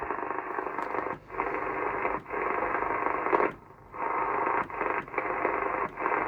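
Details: Cobra 2000 GTL CB radio on an aerial, receiving after first showing no receive: steady radio hiss and crackle with a few short dropouts as signals come and go; the receiver is pulling in signals normally.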